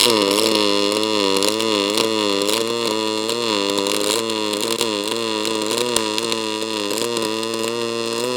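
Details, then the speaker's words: ArcCaptain MIG 205 MP in pulse mode, on the soft side of the scale around 21.5: steady, fast buzzing arc with an even pulse and a few crackles, no sputtering; normal pulse MIG arc. "Okay. So, that's going pretty well for pulse."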